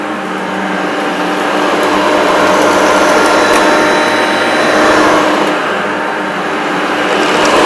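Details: Maytag U5131 upright vacuum on carpet: steady motor roar with a thin high squeal throughout; owner thinks a belt needing replacement causes the squeak, not certain.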